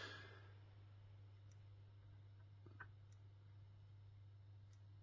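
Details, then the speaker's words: Philips TV (Vestel VEM1.1E LA / 17IPS61 board) that won't power on, no standby light: faint, regular ticks about every 1.5 seconds over a low mains hum, the power supply failing to start and restarting. "mais on entend ouais le claque qui est spécifique au fait que l'alimentation n'arrive pas à se lancer et qu'elle redémarre"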